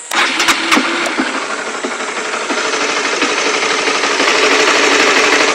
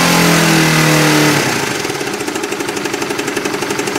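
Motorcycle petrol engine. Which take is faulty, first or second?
second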